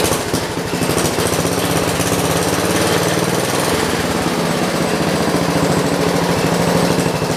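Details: John Deere 112 round fender, single-cylinder Kohler K181 with new carburetor after flooding issue; loud chug holds at one low speed with no pickup when throttled; engine won't rev up, governor and throttle assembly being adjusted.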